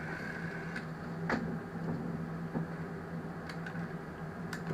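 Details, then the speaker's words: GEC Muraphone telephone rotary dial: faint irregular clicking over low hum as dial returns; the one-way clutch isn't de-clutching and ratchets on return; rotary dial clutch not disengaging. "I think it's because the the little clutch thing isn't de-clutching see that little clutch thing should only work one way"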